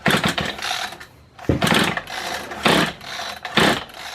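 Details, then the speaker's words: Kawasaki hedge trimmer, small two-stroke, after fitting new piston rings: four short pull-cord bursts that never catch; it turns over but won't fire even though it still has spark. "and it's just not turning over he might just be a goner"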